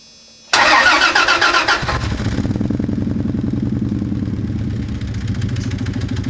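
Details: 1997 Dodge Ram 1500 starting and idling with no check engine light: starter cranks, engine catches, then lumpy, uneven stumbling idle; a bad engine misfire.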